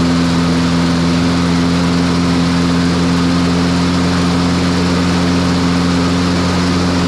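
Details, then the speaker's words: Troy-Bilt TB200 push mower, Briggs & Stratton 550e 140cc, after full service (oil, blade, spark plug, air filter); previously would not start after 14–15 pulls, now starts on third pull: steady, even single-cylinder drone with constant pitch, no misses or surging; normal running. "well at least she cranks on the third pull second second third that's better than what it was"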